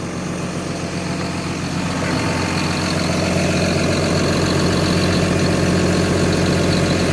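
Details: John Deere dozer diesel idling smoothly after a water leak was fixed with new hose and clamps, radiator filled and checked for leaks; steady low rumble with an even beat, no misses or knocks; normal idle.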